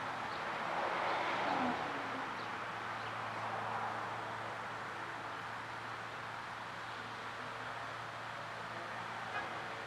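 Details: 2012 Chevy Caprice PPV 6.0 LS, cold start, a month after DOD delete with new lifters, stage 2 cam and rockers: fast light ticking about four per second, seemingly driver's side, louder with rpm; no misfire codes, cause unknown.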